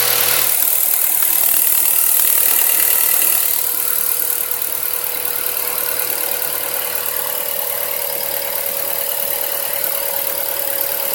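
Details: Mazda 3 1.6 idling after valve adjustment; two valves had been found with excessive clearance causing tapping: now an even, settled idle with a smooth steady hum and no top-end ticking; normal idle.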